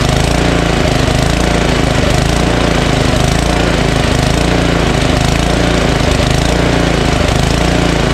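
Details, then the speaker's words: Ariens ST1128 28-inch two-stage snowblower, 11 HP Tecumseh Snow King engine, full throttle then idle: loud rough single-cylinder drone rising and sagging about once a second; mild surging, idles without stalling. "uh surges a little right uh but not as bad as the other one we did the other day"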